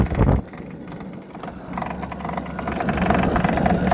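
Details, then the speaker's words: Toro 60V PowerMax E24 two-stage electric snowblower, new, on high speed: uneven clinking and clonking about four knocks a second, seemingly from the impeller, quieter on low/eco; owner suspects snow froze inside in an outdoor shed, unconfirmed. "sounds like it's coming from the impeller suckers come from the impeller the inside propeller impeller"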